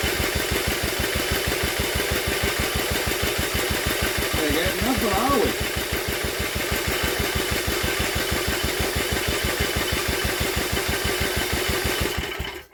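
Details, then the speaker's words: Old Villiers engine on an Atom, drill-cranked with a strong spark: even chuffing at about six strokes a second, never firing. Owner wondered about timing or an oiled plug, but the plug stayed dry; it is not drawing up fuel and is starved. "it just weren't getting fuel up it just weren't pulling fuel up the plug was just not getting wet even with all that cranking the plug should have got soaked and it didn't unfortunately"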